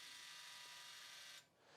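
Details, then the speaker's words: MESA003 on/off electric valve actuator driving clockwise to closed after number 2 cam adjustment: steady high motor whir cutting off cleanly at the closed stop, confirming cam set correctly; normal travel. "So now it's driven to the closed position. The valve is in the closed position, so I know that the number 2 cam is now set correctly."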